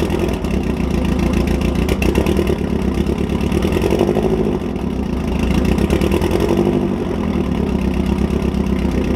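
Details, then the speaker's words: 1999-05 NB Mazda Miata after a valve lash adjustment by reshimming the head: fires up and holds a smooth, even idle with a mild rev swell, no misfire, much smoother than before; normal idle. "that's how it's supposed to sound alright guys well that's all I got for you on how to re shimmy or Miatas head as you can see the car fired right up and runs much smoother than before"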